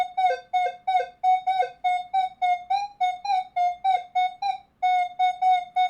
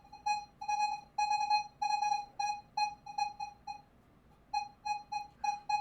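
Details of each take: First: Minelab Manticore at recovery speed 0, coin beside a nail: repeated bright beeps as the coil sweeps, only brief low grunts at the edges. The coin still reads clearly even with the nail more over the coil. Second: Minelab Manticore indoors at sensitivity 10, recovery speed raised to 8: warbling mid-pitched tone repeating about twice a second with sweeps, but half dollar only signals at about 2 inches. High recovery speed sharply cuts detection depth.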